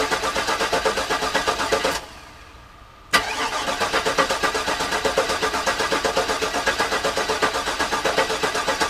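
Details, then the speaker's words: Garage-rebuilt GM LS engine in the car, first start attempt with the fuel pump not working: fast, even cranking, a short pause, more cranking that never catches. No oil pressure, and the owner suspects an unprimed oil pump. "i'm not getting any oil pressure in there so i'm thinking i may need to prime it which is unfortunate because that is a lot harder to do with the engine in the car"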